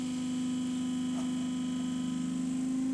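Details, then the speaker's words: Boat trolling motor running at about 70-80 power with prop removed while adjusting the fin: steady electric hum that speeds up and quiets as the fin centres; misaligned binding fin loads the motor. "I'm going to go down, and you can hear it speed up and slow down, as well as get quieter and get faster. So right there, it's right in the middle. It's the quietest, it's the fastest."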